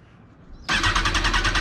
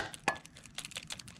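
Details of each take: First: 2005 Kawasaki ZX10R auction bike, 51,000 miles, listed as runs and drives; starter spins the engine with rapid even chatter for about two seconds but it never fires, and no fuel pump priming is heard; crank, no start. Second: 2005 Kawasaki ZX10R tip-over (bank angle) sensor removed and shaken: light irregular clicking as the pendulum rattles freely, so it is not stuck. The fuel pump doesn't prime at key-on, so the kickstand sensor is suspected next.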